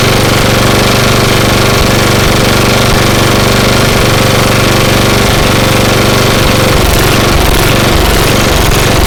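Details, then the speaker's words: 1998 Murray Widebody LT riding mower, single-cylinder 12.5 hp Briggs and Stratton, after carburetor cleaning with air filter housing off: loud chugging idle that swells and sags; surging idle, owner suspects too much air or not enough fuel at low idle. "well I did the best I could clean the carburetor but we're still having a little bit of a surging problem and it's getting too much air or not enough fuel at low idle"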